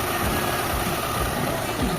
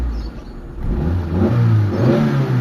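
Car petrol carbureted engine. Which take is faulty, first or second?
second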